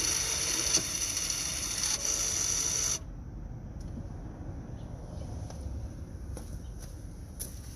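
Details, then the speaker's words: Mazda CX-5 rear caliper parking brake motor re-engaged after maintenance mode, microphone beside the caliper: high, steady electric whir about three seconds, then stops with soft clicks; normal engagement. "Now I'm going to engage it and put it back to normal."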